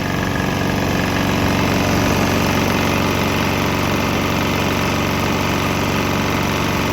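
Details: Swan X 165F Chinese single-cylinder diesel on a 50% used motor oil / 50% diesel mix; steady, even thump at constant idle speed, no knocks or misses. Earlier bucking and stumbling cleared after it transitioned to the mix.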